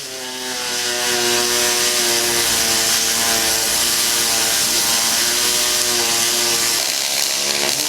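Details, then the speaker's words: MIG welding in spray arc with no pulse, 5554 wire on 5086 marine aluminum jet boat hull: steady buzzing crackle, pitch lower because of filling a bigger gap; normal arc sound. "they're feeling a little bit bigger off the gap that's why you're the pitch being lower"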